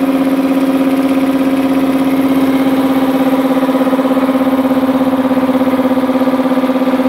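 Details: Multipro 2 HP (2.2 kW single-phase) air compressor after cleaning dirt from the check valve, filling tank: loud, very even pulsing hum about three beats a second, no hiss or stalling; leak fixed, pumping normally.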